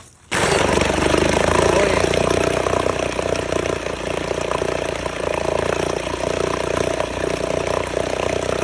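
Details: 1969 Johnson Sea Horse 1.5 hp two-stroke outboard, running for the first time in years, off choke, after water was added to the lower end: steady rapid even beat with no misses or knocks. Normal running.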